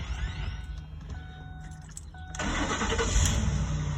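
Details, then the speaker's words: Lincoln Navigator 5.4 L with intermittent crank-no-start: harsh grinding while cranking because the starter is not engaging fully; fixed by replacing the starter. "I was able to get it to act up one time you could hear the grinding because the starter is not actually shooting out all the way"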